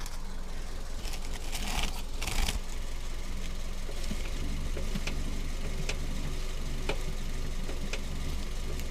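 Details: Hyundai Solaris: faint sharp knocks about once a second over a quiet idle; steering rack knock, likely caused by a worn steering rack bushing.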